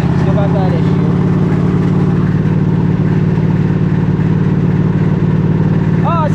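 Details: Craftsman GT3000 lawn tractor, started with a jump box after replacing a melted starter-circuit part: steady, low, even engine drone with no misses or surging; it runs cleanly.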